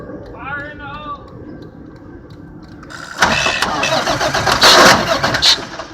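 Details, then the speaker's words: Rear-load garbage truck that keeps dying while driving; uncapped fuse box caked with coolant, so fuses are wiggled until it starts. A few quiet seconds, then the engine suddenly catches and settles into a rough idle; intermittent no-start from poor fuse contact. "the fuse box is caked with coolant because there's no cap mechanics with people back at the yard don't believe it needs to be on there so what we have to do is wiggle all the fuses until it finally decides it wants to start"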